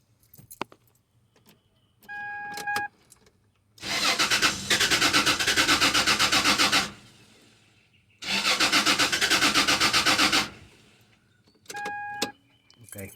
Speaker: I have problems to start it. Uh, with with that with that relay connected, the truck is just cranking but not starting.